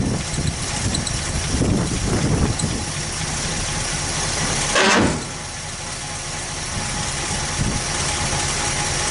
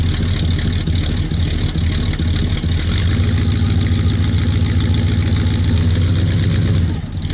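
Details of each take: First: 1964 Buick Skylark, sat neglected about six months, with an electric fuel pump: a few pumps and it fires, catching with a brief surge, then settles into a steady idle to warm up, starting normally after storage. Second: 1964 Buick Skylark after sitting about 6 months, started cold in colder weather with electric fuel pump: loud, slightly loping cold idle with fairly even beat, running a little rich while warming up.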